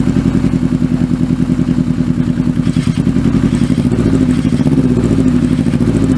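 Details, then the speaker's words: Kawasaki Z650B four-cylinder idling after rebuilt carbs fitted, microphone behind the engine; lumpy beat drops from four to three cylinders and dies, number one carb not fuelling, runs on four when fuel is pumped directly in. "it's only running on three cylinders again I'm gonna die yeah it dies it won't idle when it's only on three cylinders"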